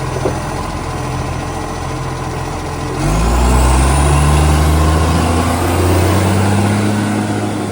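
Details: Garbage truck SL757, a spare truck that has started slamming, idling then revving as it pulls away: loud, rapid puffing bark rising with revs from an exhaust leak.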